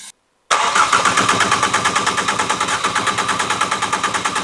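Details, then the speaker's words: Ford Fiesta ST, newly installed engine, first start attempt: starter chugs steadily about three beats a second but engine never catches; no spark because ignition coil pack was left unplugged. "Stop. The coil pack's not plugged in. That'll do it."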